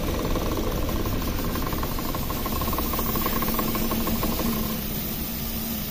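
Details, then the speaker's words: Suzuki Ertiga after periodic 10,000 km tune-up and carbon cleaning of the combustion chambers (Pertalite low-octane fuel deposits); very smooth, nearly inaudible even idle under a soft hiss, no knocking or misfire, minimal vibration, healthy. "yang sangat halus nyaris tak terdengar"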